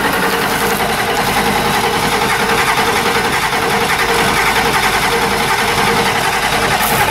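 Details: 1990 Ford F-Superduty with naturally aspirated 7.3 IDI International Harvester diesel, old injection pump: after a hard start with white smoke, uneven lumpy clatter with an irregular beat, rough running, pointing to a failing injection pump.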